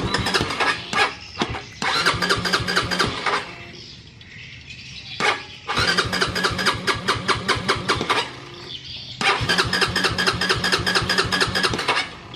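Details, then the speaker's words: Honda CB150R first generation, ignition and compression present, fuel pump replaced and running: repeated bursts of quick starter cranking, about two turns a second, never firing; owner suspects injector not spraying. "Oke tetap gak mau hidup yang pro kira-kira apanya"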